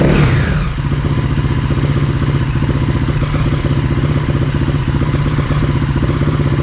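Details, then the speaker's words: 2013 KTM SX-F 450 single-cylinder, bought cheap with snow kit: runs okay at an even idle, but a faint windy whir sits under the firing beat; the clutch was later confirmed as the source. "so it's running the motor sounds like it's running okay but my clutch has a windy noise to it i think it's my clutch"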